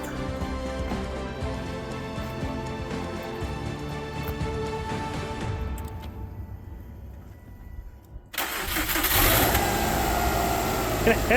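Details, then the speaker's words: 2006 Subaru Impreza WRX after replacing bad serpentine belt tensioner: engine catches cleanly after short crank and settles to even idle with no squeal or chirp from the belt side; noise fixed. "hey sound like that I think we fixed it so turns out bad tensioner made motor sound"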